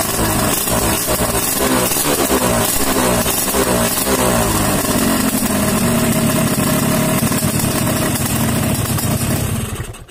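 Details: Yamaha RX-King two-stroke, test-started after cylinder block replacement (old block oversize 200 with loose piston causing pinging, knocking and heavy fuel use), air filter and seat not yet fitted: crisp, even running, revving and settling smoothly without knocks or rattles; healthy.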